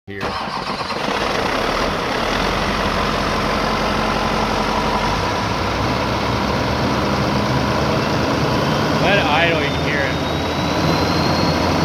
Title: LBZ Duramax rattling sound